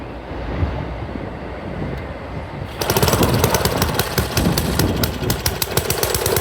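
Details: Montgomery Ward rototiller small engine catches and runs in ragged, uneven bursts that surge and drop instead of settling; fuel looks milky and cloudy, owner suspects water in the gas; cause not confirmed.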